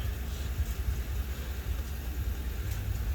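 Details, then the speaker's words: Honda Shadow V-twin idling after its first start since 2019, following gummed carbs and a swollen, burst lithium-ion battery: low, even rumble holding a steady note with no knocks or surges; idling normally. "But it's starting, it's idling. I'll rev it up, which is a good thing."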